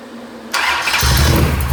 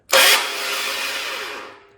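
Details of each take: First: Mopar 580 stroker V8 first startup on run stand with mufflers, timing 33 degrees, about 1,400 rpm, 65 psi oil pressure: fires on first catch, settles into steady deep idle without misses; healthy. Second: Mopar 580 stroker, first start attempt with a borrowed aluminum 8-bolt Hemi flywheel in a roughly 1969 cast-iron 11-inch bellhousing: harsh metallic grinding zing from the starter that fades without firing; pinion not meshing with the ring gear, so the flywheel needs to sit closer to the starter.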